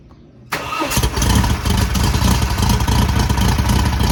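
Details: Newly rebuilt VW air-cooled 1600cc flat-four on first start for break-in: brief crank, then catches instantly and holds a steady, even, throaty idle with no knocks or misses; a clean healthy start.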